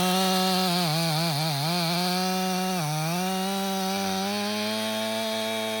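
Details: Stihl MS 500i chainsaw (62 hours), warm, cutting frozen wood after recalibration: strong steady note sags and recovers as the chain bites, then settles smoothly; pulls cleanly under load after fixing the fuel pump, believed main problem with stale fuel.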